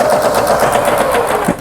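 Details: Kenmore household sewing machine, US-market 110V-only, made in Taiwan, being repaired; stitch length and forward/reverse stitching shown working. Quick, even stitching clatter about eight beats a second over a smooth hum, no knocks or binding; runs normally.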